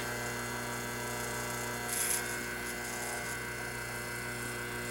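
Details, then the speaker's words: 1976 General Electric Q174461 washer motor, 1/2 hp, 1725 rpm, running unloaded on the bench at 7.1 A, 118-119 V, about 215 W, 847 VA: steady, even electric hum with no knocking, grinding or wavering; spins freely and healthy. "the volt ampers is way higher than the number of watts because it's just sitting here idling"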